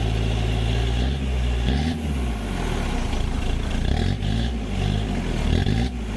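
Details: Old Ford Courier WL-T diesel cold start in summer: lumpy, hunting idle with diesel clatter, very rough and getting hard to start; glow plugs removed to diagnose, suspected failed.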